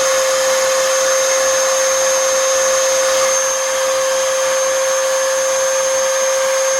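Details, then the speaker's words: 20-year-old Oreck XL2800 vacuum motor after bearing repack and carbon brushes seated with a seating stone, which raised motor speed markedly: a steady, even high-pitched whine with no grinding, rattle or wavering. Normal, smooth run. "oh that's it that's the noise of what I want nice that is nice and smooth and keep in mind most of this motor is still 20 years old"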